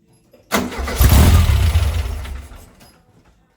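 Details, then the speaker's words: Herthing with a newly fitted Weber 44 IDF carburetor: catches with a rough, uneven rumble, then sags and dies within two seconds. Owner suspects the idle jets are too small, starving fuel. "so what it's looking like is that the uh the uh the gasoline Jets or the idle jets are too low so if the if those jets are too low it's not going to get any gas so not getting gas it's not going to start"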